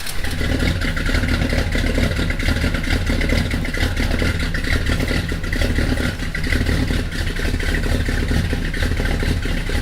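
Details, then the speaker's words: Mopar V8 just fitted with high-flow J heads and exhaust manifolds reinstalled, with a slight exhaust leak. Loud, choppy idle with a loping thump about once a second over exhaust rumble; more cam thump than before. Normal lopey cam idle. "yeah that sounds good well guys it seems as though she's doing a little more thumping now with these though high flow heads"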